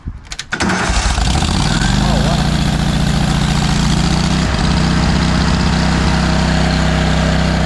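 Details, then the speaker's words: Kohler engine on a Hobart 10,000 W welder generator after carb repair, with an old fuel pump refitted and a fuel mixture squirted in: short crank, quick start into a steady, even idle without misses; owner suspects earlier fuel pumps caused the problems. "I know it's loud you probably can't hear me very well I'm about to let that run"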